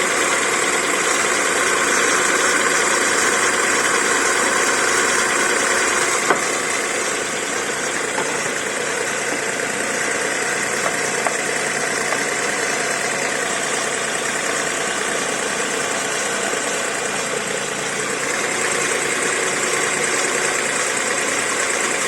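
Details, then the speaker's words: VW Polo 9N with a 1.2L AZQ engine idling with a dry whirring rasp and faint whine from the accessory-belt idler pulley bearing; the noise remained after WD-40 was sprayed, then went away. "I sprayed a bit of WD40 but it's the noise is still there after some time it went away"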